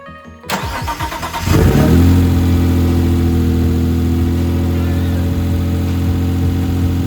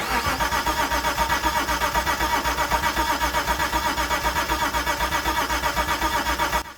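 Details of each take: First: Mitsubishi GTO twin-turbo, self-rebuilt engine, first start in 3 years after jumping fuel pump relay: fires after a few cranks, catches cleanly into steady even idle with no misses or knocks; relay suspected of keeping engine running after key-off. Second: Owner-rebuilt Mitsubishi GTO twin-turbo engine at its first start attempt in three years, with a fuel pump not heard priming. The starter cranks steadily, about four beats a second for nearly seven seconds, never catching. Crank no start, no fuel delivery.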